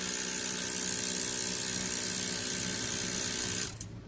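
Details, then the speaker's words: Airbrush compressor: steady, even high-pitched whir for several seconds, then clean shutoff; normal running. "you could hear the sound from the compressor this is at full power"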